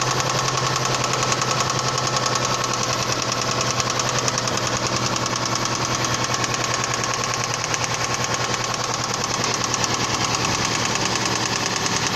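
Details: Toyota Previa 2AZ engine at idle: sharp, hard, persistent knocking about three per second over the idle; spun connecting rod bearings on the crankshaft.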